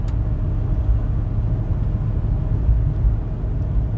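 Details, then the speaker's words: 1993 Ford F150 with 99,000 miles, cruising at speed on a test drive: low steady road and engine hum with no knocks, whine or rattles; the truck sounds quiet and healthy. "I'm trying to be quiet so that you can just hear how nice and quiet this truck is."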